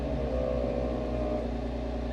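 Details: ARB air compressor newly installed on a Jeep JK, switched on with its button: steady even motor hum with mid-pitched whir; compressor running normally.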